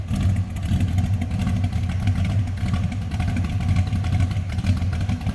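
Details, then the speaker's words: 1980 Oldsmobile Cutlass V8 with a mild aftermarket cam, idling: a choppy, loping, lumpy beat from the cam, otherwise strong and steady; normal idle for a cammed, healthy engine. "How many times you see those just sun-baked or cracked? Oh, we got a little cam in that V8."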